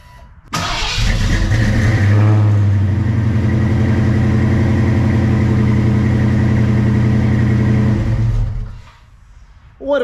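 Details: Project Fox body Mustang after a no-start, tank lines hooked up without refitting the tank: brief crank, catches at once, strong even run with steady rumble for several seconds; starts and runs fine, owner thinks filter was the issue.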